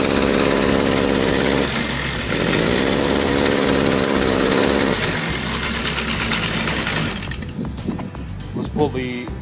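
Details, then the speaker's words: Stihl two-stroke trimmer idles but buzzes and stumbles on throttle, then bogs and dies; likely restricted exhaust, clogged spark arrestor screen, before cleaning. "the complaint is that it will will aisle and when you go to give it gas it just falls out and dies nine times out of ten there's gonna be a restricted exhaust system"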